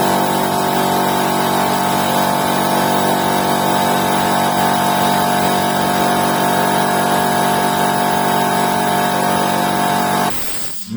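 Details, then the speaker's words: Air compressor with 2.2 kW electric motor, which had hummed and tripped the breaker (relay in motor cover stuck): after repair, restarting under load after pressure release, steady motor drone with even piston pulses; running normally. "вление сейчас Компрессор работает Согласно своим техническим требованиям мы вам это продемонстрируем"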